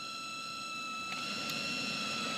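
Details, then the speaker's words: Car blower fan at low speed: steady high whistle with several even tones over soft fan rush, stops at full speed and returns when turned down; noisy blower motor suspected. "it only does this usually if I have it on low speed or if I Crank It Up it doesn't do it"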